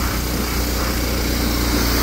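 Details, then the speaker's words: Old power washer engine after repair, RPM turned up to offset governor springs stretched from years of running at full RPM; it now holds a steady, even high-speed drone with no hunting or sag, running normally at full speed. "I think we do a lot of power washing so over time the Springs really stretched and everything cuz that power washer pretty well just sits at full RPM all the time so that's why I turned up the"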